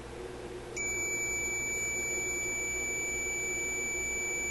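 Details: Electrohome AM clock radio, power off, meter in continuity-tone mode across the tuning capacitor plates: a steady high-pitched tone that holds without a break. Dead short at zero ohms; the shorting plate has not yet been found.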